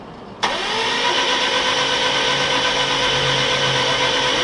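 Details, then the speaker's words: Subaru GC8 with 2006 STI engine swap, cranking with all spark plugs out to prime oil and build oil pressure: sharp starter bite then quick even whirring spin about four beats a second, no compression strokes. "Just put the filter on, and we have all the spark plugs out right now so that the compression wasn't fighting us."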